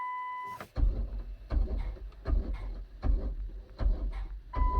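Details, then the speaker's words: 2010 Dodge Grand Caravan 3.3, 146,000 km, intermittent no-start after alternator replacement, battery OK: with key held the starter gives short clunks about once a second, never turning the engine; starter control circuit malfunction suspected. "interesting it tries to crank but it doesn't crank hmm well I'm going to scan it and see if we got any codes it's like the starter control circuit is malfunctioning"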